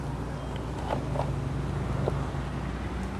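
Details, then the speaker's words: Yamaha Exciter 150 brought in not starting with fault light on, now starting normally while the intermittent fault is not yet identified: low steady single-cylinder putter with no misses or knocks; clean idle. "bây giờ thì lại nổ bình thường đấy rồi"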